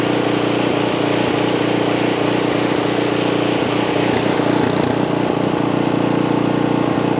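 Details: Ariens Path Pro 208cc four-stroke single-stage snow blower, just started and not yet warmed up, before the surge fix: steady even run at constant pitch with no hunting or surging, a normal idle.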